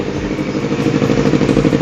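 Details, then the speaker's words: 2018 Honda CBR 250RR with 10,000 km and an Akrapovic exhaust: steady, even idle with a crisp, slightly loud racing exhaust note and no knocks or misses. The engine sounds smooth and healthy. "Dan sekarang coba kita cek mesin, karena jarang dengerin mesin yang suara racing ya. Bismillah. Oke, mesin juga halus."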